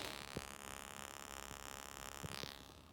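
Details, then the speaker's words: Yamaha K-300 cassette deck in playback with no tape: steady raspy electrical buzz with clicks peaking the meter, from interference by a cheap replacement capstan motor; fixed by moving the new motor's internals into the original motor case. "as you can see from the peak meter it is very loud um other than that everything appears to be in functional order"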